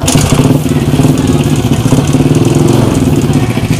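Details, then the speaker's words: SYM Bonus scooter after spark plug fix: engine runs steadily but a coarse stone-grinding noise rides over the exhaust beat; worn roller guide, left unreplaced because owner lacked budget for parts. "Parang may gilingan. Mga kabims, hindi ko muna pinalitan ng roller guide dahil wala daw siyang pang bili ng pyesa"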